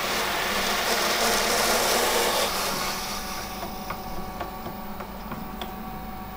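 Harsh hissing rush fades away, leaving the pump's steady, even motor hum of normal running.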